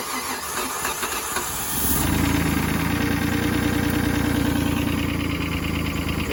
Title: Cranks but no start - starter fluid reveals root cause may be fuel pump/delivery